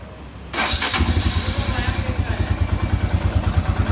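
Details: Royal Enfield Himalayan after cylinder head and cylinder reassembly for a ticking noise: engine catches at once and settles into an even single-cylinder thump with no ticking from the top end; healthy idle.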